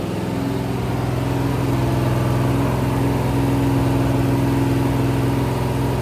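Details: Rebuilt 426 Gen 2 Hemi crate V8 (new heads, intake, pistons) on run stand, flat-tappet cam break-in: steady fast idle, smooth even beat, no ticking or knocking; normal high idle.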